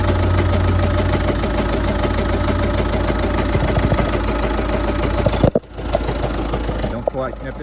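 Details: Citroën Jumpy 1.5 turbo diesel light commercial van: rough running with a heavy, uneven knock and strong engine shaking at about three beats a second; gearbox removed revealed a faulty bearing and off-centre clutch pressure plate at the flywheel.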